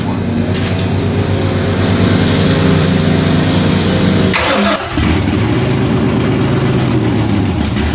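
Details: Stroker Windsor V8 in a Fox Body, first start after install: rough, uneven running, revs sag and nearly stall around five seconds before picking back up; won't hold idle on its own, causes still to figure out.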